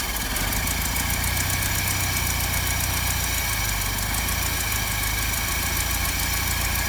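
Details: 1955 Land Rover Series One petrol engine, freshly rebuilt after about 50 years standing, first start-up with rebuilt or replaced SU fuel pump; old engine ticks over at a steady, even beat with no misses or stumbles, smooth healthy idle.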